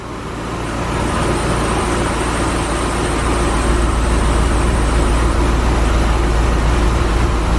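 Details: 2017 Chevy SS LS V8 first start after BTR Stage 4 camshaft and valve spring install: loud deep rumble with choppy rolling lope, steady and even, healthy cammed idle; slight belt squeak from water.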